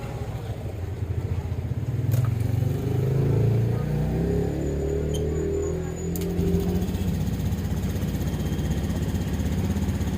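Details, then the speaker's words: Honda Scoopy 2017 after replacing worn rollers, roller housing and cracked fan belt (complaint: rough noise uphill, sluggish pull), ECU reset in mode 1, idle set by ear: steady low putter, no roughness or rattles; normal idle. "Setelan langsam kurang besar dikit karena saya tidak punya alat, dikira-kira saja. Pokoknya langsam gak kebesaran ya gak kekecilan."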